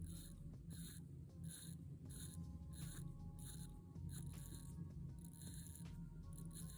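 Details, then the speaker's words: Orient Bambino 36mm watch, in-house F6724 movement with hand winding: faint, quiet bursts of fine ratchet clicks in short strokes while winding the crown, even and smooth, nothing catching; normal hand-winding ratchet. "pretty basic feels pretty smooth also not the best i've tried but not"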